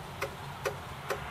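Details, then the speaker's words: Acorn Archimedes A3010 floppy drive after fixing a loose coil that sagged and rubbed, causing a rattle: only soft, even ticks a little over twice a second with no rattle or rubbing; normal floppy drive operation. "And if we just start that, you will hear, in fact you can't hear, that drive is silent now."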